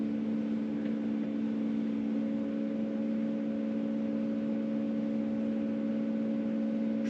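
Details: Land Rover Discovery 3 2.7L TDV6 diesel after a fuel filter replacement, ignition on without starting: a steady electric hum for several seconds as the fuel pump primes the system, repeated over several ignition cycles.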